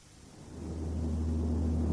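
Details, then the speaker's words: Toyota vehicle NVH case, frequency analyzer: deep steady drone around 60 Hz swelling with speed, stays even; matches propshaft vibration frequency, so noise most likely from an unbalanced propshaft. "анализатору частота шума 60 герц это чистота соответствует то есть которую мог бы вибрировать карданный вал в случае несбалансированности или by это значит что шум вызывается скорее всего карданным валом"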